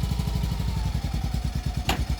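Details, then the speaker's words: Isetta single-cylinder engine just started with some help and out of gear, before warm-up: even, rapid putter with no misses or clatter, sounding nice; timing needs excessive advance and the aluminum rod is starting to knock slightly. "yeah there we go so she sounds nice"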